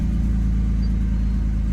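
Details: Audi B5 S4 first start after a timing belt job, with a slightly low battery and a flex-fuel sensor: deep, steady engine rumble with no ticking, slapping or rattling; the engine runs evenly.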